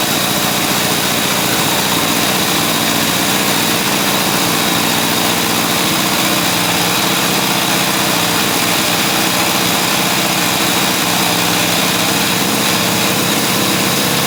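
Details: Honda CA160 Benly after fitting the carburettor needle and seat properly and adjusting it, running on premium fuel from an auxiliary tank: steady, even buzzing idle holding over fifteen seconds without hunting or stumbling.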